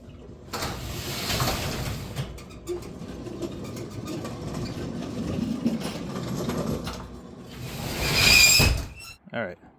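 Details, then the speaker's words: Locomotive "the 70" runs after a burnt traction motor was replaced and dry chains were lubed and checked for binding in a cold-weather shop: an even electric whir with light chain and wheel rumble, no grinding or knocking. It sounds much better than before. Normal running. "Well, that sounds a whole lot better than it used to. Amazing what a little maintenance will do."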